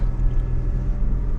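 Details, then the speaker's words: 2023 Chevrolet Colorado ZR2 with a 3-inch lift, lockers and DSSV dampers, crawling in 4-low on a rough rock trail. A steady, low droning rumble whose source is unconfirmed; the driver wonders whether it is the fan or the transfer case. "Is that the fan? Not sure. Is that the transfer case?"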